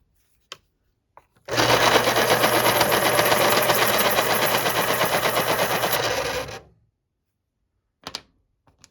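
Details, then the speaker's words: Panasonic KP-33N electric pencil sharpener: about five seconds of sharpening with a rattly chatter near three beats per second over the motor whir and a short spin-down; owner suspects the motor needs lubrication. "but it just based on experience with my other one it sounds like this one might need some lubrication"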